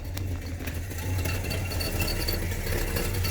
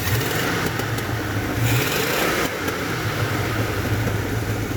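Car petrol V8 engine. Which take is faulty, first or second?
first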